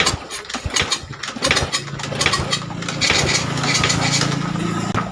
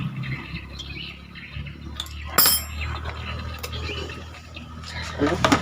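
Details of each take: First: Old Honda Supra motorcycle with low compression, valve gap already checked fine: uneven chuffing as it catches, then rough running with puffing blow-back; compression escaping past a leaking valve. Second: Old Honda Supra motorcycle single after repairing a leaking valve causing lost compression and refilling oil: handling noise, then it catches and runs evenly with no misses or knocks; some loud chain noise noted.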